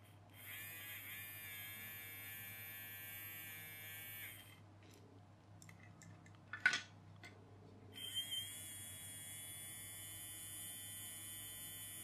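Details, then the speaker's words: Small electric motor of a toy train after oil was put on its bearing, having turned slow and stiff and looked dirty; thin continuous high buzz at steady pitch, no grating; runs smoothly now. "we'll put a little bit of oil on the bearing that sounds a lot happier"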